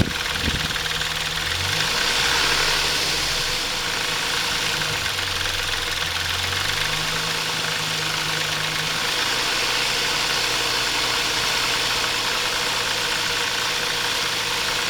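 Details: Intrepid 2.7 idling after water pump replacement: busy metallic chatter and whirring with uneven rhythm, caused by timing chain tensioner not released correctly during installation; fixed afterward.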